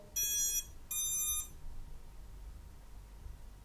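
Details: Geelang X-UFO 85x 4K cinewhoop drone (AIO flight controller/ESC board, Betaflight-programmable LEDs) on battery connection: two sharp high buzzer beeps about half a second each, then quiet room hum; normal power-up beeps.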